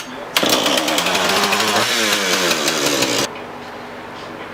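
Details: Husqvarna 440 X-Torq chainsaw, brought in with the chain off and in for oiler, bar, chain and sprocket replacement, started with fuel added and a spark tester fitted: fires up, steady high buzz for about three seconds without sputtering, then cuts off. Running normally.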